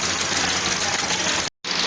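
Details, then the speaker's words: Hyundai Grand i10 petrol with CNG kit at idle: uneven, lumpy idle with a recurring dull knock as one cylinder drops out; misfire stays on cylinder 4 after swapping injector 1 and 4, suspected low compression. "मुझे अभी इसका engine company से करना चाहिए हो सकता है कि इन्हें कम प्रेशर नहीं है जिसकी भेजा ना बहुत ही अनुसार"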